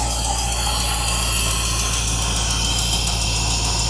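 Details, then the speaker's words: 1972 Mercedes 280SE 4.5 V8 with D-Jetronic injection, stored since 2011, fuel system empty, started with starting fluid: steady, even idle with smooth low rumble, no knocks or misses; normal running. "Not bad. Coming out of storage since 2011."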